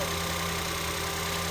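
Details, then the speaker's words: 2014 Ford Escape 1.6L at first startup after head gasket replacement, idling with a steady, even hum that sounds different than before; no knocks or ticks, sounds fine now, normal idle. "A whole lot better. I didn't hear it when it was sick, but it sounds good now. Sounds fine now."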